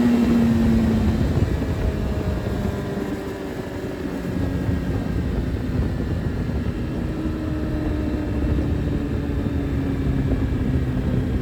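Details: Suzuki Hayabusa with a built motor and aggressive cams, on a road test after cleaning its clogged fuel filter; before, it only reached about 7–8,000 rpm. It keeps climbing cleanly through the revs without stumbling or cutting out, with unrestricted fuel supply now. Normal full-rev acceleration.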